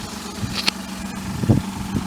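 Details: 2000 Mazda MPV 2.5 L V6 at idle: low rumble broken by uneven puffs and stumbles about every half second; exhaust manifold leak with engine misfire.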